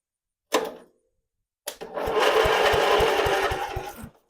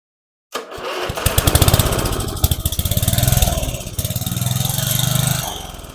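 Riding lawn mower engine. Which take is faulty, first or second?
second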